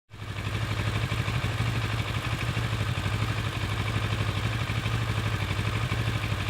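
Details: Kawasaki ER6-n twin fully warmed up, idling stationary after 30 minutes of driving: uneven, hunting idle of about three pulses a second with the odd skip, never settling; owner suspects an idle misfire, not confirmed.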